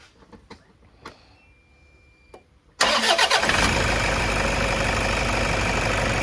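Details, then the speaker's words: 2010 Toyota Innova 2KD diesel with check engine code P0093 and stalling at 2000–3000 rpm, restarted warm after running: brief crank, catches at once and settles into a steady, even idle, starting easily. "Untuk hidupnya ee gampang ya, Teman-teman."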